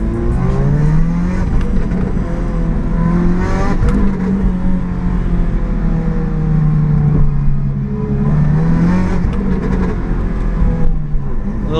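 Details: BMW 135i with a big single turbo pulls hard in first gear with a raspy, puffing edge from an exhaust leak; the cause is suspected, not confirmed.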